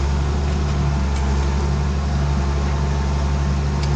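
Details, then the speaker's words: Ford TW diesel tractor ploughing on a windy day: deep, steady drone with no knocks or misses while working; engine pulling smoothly and sounding healthy under load. "T-dubs just purring away. That sound good, she does, she does sound good."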